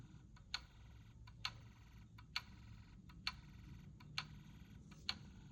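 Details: Snap Circuits hobby fire alarm panel on call point activation: the toggleable meter gives quiet, steady ticks a little over one per second in a silent room; normal.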